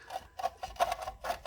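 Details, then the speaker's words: 2009 Jeep Grand Cherokee hub bearing, wheel rocked back and forth by hand before rotor removal: rough, rasping grind in quick bursts from the badly worn wheel bearing, to be replaced. "That's the noise this bearing's making. I'm going to move it back and forth, the wheel back and forth, so you can hear how bad that is."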